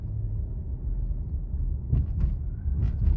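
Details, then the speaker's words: Ford Explorer after a throttle body cleaning to fix a rough idle, on a test drive: an even, low engine rumble with no stumble or surging. Everything sounds clean. "I'm just gonna drive it around the neighborhood for good measure all right everything's sounds clean"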